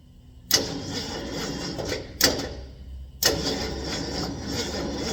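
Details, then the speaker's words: 460 big block truck that won't idle, warm battery cable; three sluggish, labouring cranking attempts that never catch cleanly, starter turning too slowly, as if lacking juice, cause unconfirmed. "Um the battery terminal isn't smoking now, but um it's like it just doesn't have quite enough juice to crank it."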